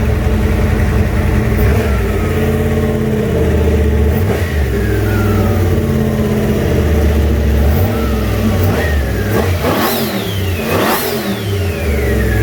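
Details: Junkyard 351W turbo V8 in a 1967 Mustang, first fire-up, exhaust exiting off the fender; lumpy uneven idle with several rev sweeps up and back down, rough running, needs tuning.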